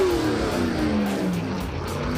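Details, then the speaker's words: Roadkill NASCAR-style car ("Nascarlo"), hard drag-strip launch: revs flare then sag with a tyre chirp, clutch slipping under full load with clutch smell; pass still ran 13.82 at 101 mph. "that was a clutch slip oh yeah banging it I can smell clutch though"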